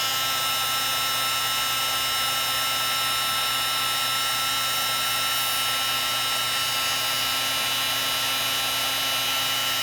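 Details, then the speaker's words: Heat gun previously taken apart by owner, running: steady high-pitched whir with a rough, scratchy edge throughout; sounds horrible. Owner suspects the fan rubbing. "Oh man, that sounds horrible. Sounds horrible. Something's up with my heat gun."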